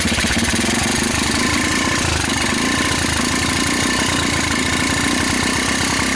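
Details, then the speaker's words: Rapidity GY6 150cc quad after a PZ27 carburetor swap, running on a hacked pit bike CDI: choppy, uneven idle that never picks up, a lazy bogging note; still has the problem, later traced to badly adjusted, too-loose valves. "you know what maybe it's a little better it still basically has that problem"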